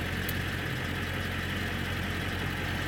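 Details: Early 1999 Ford Super Duty 7.3L Powerstroke diesel with TS 6-position chip, switching through settings; idle changes slightly between positions: deep, even diesel clatter at steady idle, no misses or knocks; healthy.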